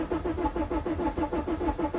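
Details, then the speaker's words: Modern van that won't start (EGR/DPF clogging suspected; an injector was earlier removed and refitted): brake cleaner sprayed into the intake, then steady cranking at four to five compressions per second that only briefly tries to catch and never fires. "It's even worse, isn't it? Weird, isn't it? I thought it was even worse, but then it kind of struck up, didn't it?"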